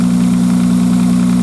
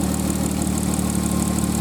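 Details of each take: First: 1995 Nissan Maxima cold start: quick, even light tick over a smooth hum, heard only for about the first three minutes and gone once warm. Owner says it sounds like plastic on plastic; an exhaust leak or tensioner is suspected. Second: 1995 Nissan Maxima, fully warmed up: smooth even idle with light, fast injector tick riding on top, which is normal; engine running healthy.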